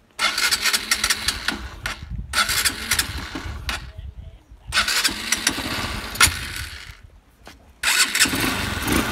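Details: Honda Bros motorcycle after an engine rebuild (kit, cylinder, valves, gaskets, oil); it had been leaking oil at the exhaust and smoking heavily. Several quick starts and blips catch cleanly into a crisp, even single-cylinder idle with no knocks; healthy.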